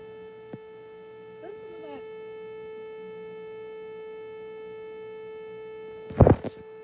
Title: Low battery Vtech toy carousel toy buzzing noises